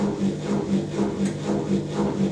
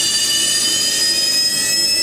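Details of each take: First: Zanussi Electrolux Aquacycle 1200 ZWF1221W washing machine on a 900 spin with newly fitted motor carbon brushes: spin builds with a high whine climbing in pitch over a steady thrum. Whiny because the new brushes are still bedding in. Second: Zanussi ZWF1221W washing machine ramping into a quick spin toward 850 rpm: a steady high motor whine settles as the drum comes up to speed, with only a faint squeak from motor brushes still wearing in; running normally.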